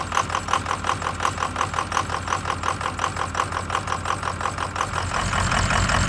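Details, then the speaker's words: 2003 Ford F250 6.0 Powerstroke diesel, cold start: uneven pulsing knock about three beats a second, rough idle typical for its first 10 minutes; owner suspects injector stiction, trying Archoil friction modifier instead of new injectors. "all right so i don't know if you can hear but it's running pretty rough and that's normal the first 10 minutes or so after i start this thing"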